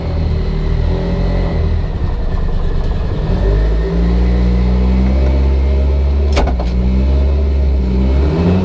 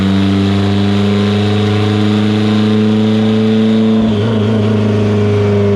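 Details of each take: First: Evo 8 built 2.0 turbo (GTX3584RS, Tial 44mm wastegate, Haltech Elite 2500) on dyno on 93 octane, wastegate set to 0 yet hitting 40 psi: loud deep engine pulling hard, pitch climbing, no breakup; suspected wrong plumbing or boost controller. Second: Evo 8 on dyno, built 2.0, GTX3584RS, Haltech Elite 2500, after swap to Toyota Denso coils and retune: loud even note under load at 25 psi on 93 octane, no stutter or popping; clean pull.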